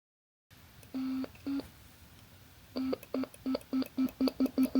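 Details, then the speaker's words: DIY ESP32 Stylophone-style synth with an I2S audio chip and speaker, on its first hardware test. Short, low beeping notes each end in a sharp click because the code stops the tone immediately on key release, with no fade-out. "I need to remove these annoying clicks that we can hear."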